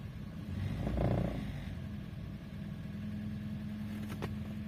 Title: What problem could be the rattling sound?